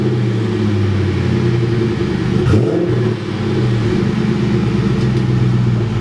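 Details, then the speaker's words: 1999 Mustang GT V8 after sitting for years, now with a Ford Racing intake, NGK plugs and a new fuel pump: steady, even idle with a smooth low rumble, no misses, knocks or hunting; running great. "So as you can hear, she's running great, idling nice and smooth."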